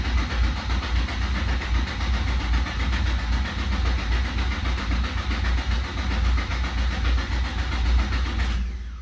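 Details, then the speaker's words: Infiniti G35 after the coil packs were replugged and everything was reassembled: steady starter churn on and on, never catching. It cranks but won't start and seems to get no fuel. "it just will not even crank it just keeps cranking and cranking and cranking and no semblance of it it's getting any gas"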